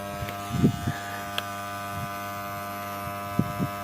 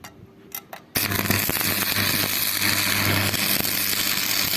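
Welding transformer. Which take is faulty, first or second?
first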